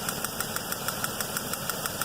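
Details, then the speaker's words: 2007 Chevy Equinox 3400 pushrod V6 with 100k miles: sharp, even lifter-like tick about six a second at idle, traced to a moving spark plug wire; wiggling the wire stopped it, loose plug porcelain suspected. "see the hook the the plug wire moving back and forth I shut the motor off right there and just wiggled the plug wire and started it back up no more noise"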